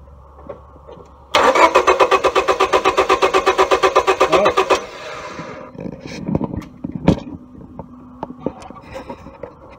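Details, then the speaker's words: 1999 Honda Civic 1.6 VTEC SOHC, crank no-start: the starter cranks evenly at about four beats a second for three seconds and the engine never fires. The coil's ground signal switches but there is no spark from it, with the distributor cap off. Failed ignition coil. "so the signal here does look like it's grounding and I'm not getting any spark out of the coil tire here"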